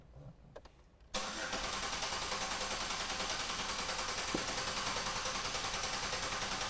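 After a second of quiet the starter spins it over with even, steady pulses about three times a second; compression sounds healthy and equal.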